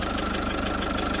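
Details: Citroën C4 Picasso 1.6 HDi 110 diesel, cold idle with sharp fast even ticking about six per second over the clatter, compression blowing past leaking injector seals; injector seal compression leak.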